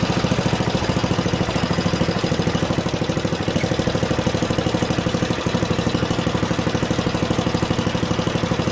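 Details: Junkyard Ditch Witch C99 trencher, old, year unknown, single-cylinder engine: steady, even chug with no misses or knocks; running halfway decently, though the self-propelled drive doesn't work.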